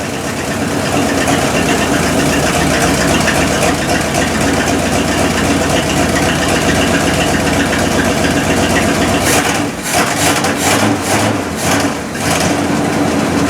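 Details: 1972 Cadillac Miller-Meteor hearse V8, abandoned since 1995, first brief start in 29 years on 91 octane poured into the carburettor bowl: steady, even idle rumble for over ten seconds, no knocks or stumbles; oil pressure sounded okay.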